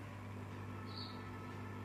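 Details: 5.1 amplifier converted from manual to remote-cut amp gives a steady, low, buzzy residual hum at idle from an unmatched ground; scraping and moving the ground wire to another ground point largely stopped it, a slight earth noise remains.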